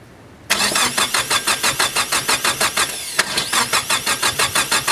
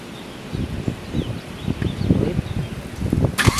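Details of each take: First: Nissan S15 SR20DET with a freshly rebuilt starter: steady starter churning at about three beats a second with uneven pulses as it tries to catch but never runs clean, while throttle body is modulated; it has spark. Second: Nissan S15 SR20DET with a freshly rebuilt starter: uneven cranking chuffs for about three seconds, then the engine fires and catches cleanly into a run after troubleshooting.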